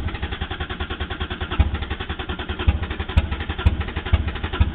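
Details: Supra with 1JZ-GTE swap, clogged fuel dampener replaced, ran once then would not restart: slow rhythmic starter chugging about twice a second, never catching; crank no start.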